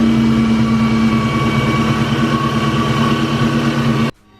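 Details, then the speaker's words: Cobra after new belt fitted: idle with steady mid-pitched rubbing whine until shutoff; owner thinks it's the alternator again, possibly a bearing from over-tightening, unconfirmed. "Alright guys, so that noise, I was having a hard time like troubleshooting it, figuring out where it's coming from. I'm pretty sure I found out where it's coming from. I think it's the alternator again."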